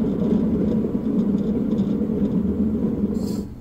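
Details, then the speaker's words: Cub Cadet LTX1045 mower deck, removed for rebuild: steady rough low rumble and growl from running deck; spindle bearing shot (previously replaced once), bearing towers to be replaced. "the reason I took it off is is twofold here this bearing is shot and as you can see this one's already been replaced once but it's shot"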